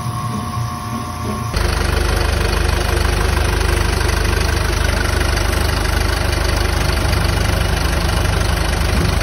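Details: 2022 Isuzu QL at idle with A/C on, after replacing the noisy, knocking, oil-starved A/C compressor and filter dryer and vacuuming the lines: a steady, even low rumble with no knock or whine.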